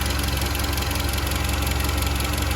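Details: SsangYong Kyron 2.3 petrol, 69,000 km, after water pump replaced and belt tensioner play shimmed with electrical tape, knocking gone (damper likely needs replacing soon): even steady idle with regular firing pulses, no tapping from belt side; normal idle.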